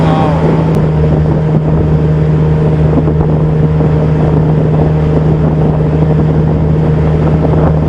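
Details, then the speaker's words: Pontoon boat outboard under way on open-water test: steady, even hum with wind, no misses or knocking; motor winds up and runs well, but the failed power trim pump won't lift it. "motor sounds like it's running good though i can hear it winding up but it ain't lifting it"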